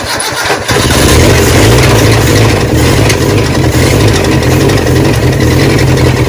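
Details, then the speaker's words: Barn-find 1979 Honda Prelude (sat for years) four-cylinder, restarted after topping up slightly low oil; sounded better with more cranking, now pulling fuel from the tank. Rough idle with a deep rapping bottom-end knock, which owners call a rod knock. "but it's got a huge rod knock down on the bottom end i kind of had a suspicion of that when we got it and that's probably the reason why it's been parked"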